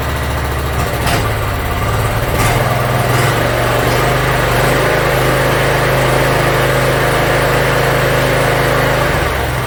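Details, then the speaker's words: Yard Machines (MTD) 42-inch riding mower, small single-cylinder engine, after carburetor cleaning and freeing a stuck emergency shut-off: settles into a steady, even idle with a low putter, no misses; runs pretty good. "all right looks like it runs pretty good so i'm going to go over a few other things"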